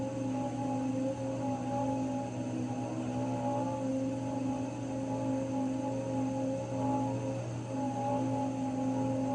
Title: Raypak 106A whining noise again